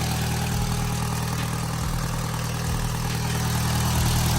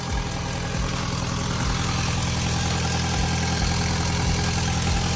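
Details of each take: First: MK1 Audi TT after rocker cover gasket replacement, started about 2.5 hours after RTV sealant: steady, even, smooth idle with no misses or knocks, though an exhaust blow was noted as getting worse. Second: MK1 Audi TT after rocker cover gasket replacement and engine flush, idling: rhythmic puffing tick about three times a second; exhaust blowing at a joint, seeming to get worse.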